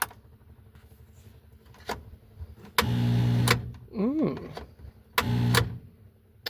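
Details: 1986 Ford F-150 sitting about 1.5 years, no brake booster: short bursts of low starter churning with a click between attempts, never fires; owner suspects a bad starter or connection, unconfirmed, and also mentions old gas.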